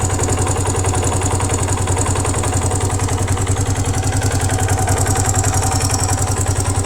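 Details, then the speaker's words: 1982 Honda XL250R single at idle: a sharp, even tapping at about three to four per second rides over the idle thump, coming from the top end. Suspected valve clearance, piston rings or piston pin; not confirmed. "Okay, we heard this noise. The noise is coming from the top end."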